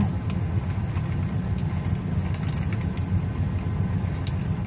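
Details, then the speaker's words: 2007 Ford F-150 that cranked but wouldn't start, after reconnecting the rusted, broken fuel pump driver module plug: smooth, steady low idle, even beat, no misses, knocks or ticks; normal running. "there we go she's running he ain't cost me $400 it didn't cost me $100 it cost me $0"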